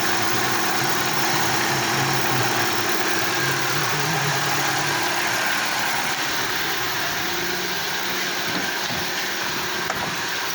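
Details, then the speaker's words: Daewoo Lanos running on LPG after it stalled on petrol, sensor unplugged with the check-engine light on: even, steady idle with a constant hiss and no misses or knocks. Normal LPG idle. "О, це на газовий. На газовий працює. Чек світиться, наверно, того, що датчик не підключений."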